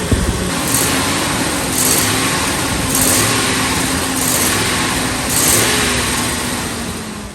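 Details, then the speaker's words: 2003 Ford F-350 Super Duty 5.4 L V8 after passenger exhaust manifold replacement: several clean throttle blips over a steady rumble, no ticking or puffing from the exhaust; revs smoothly and sounds healthy. "Let's rev it up, guys. Man, this thing sounds super"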